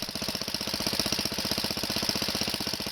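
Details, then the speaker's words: Wheel Horse 704 garden tractor Kohler single-cylinder, recoil starter realigned, running while warming with choke half on: even, quick putter about four beats a second, steady rhythm, no misses; runs fine. "That sounds good. I'm going to leave the choke on halfway. That's another good sign."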